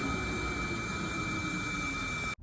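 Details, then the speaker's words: 229,000-mile Audi TT turbo, intake pressure leak test via adapter at the MAF location: strong steady hiss that cuts off abruptly, air escaping from an inlet pipe that has come off. "Oh, yep, that's definitely a leak. If we look, there's an actual pipe come off right there."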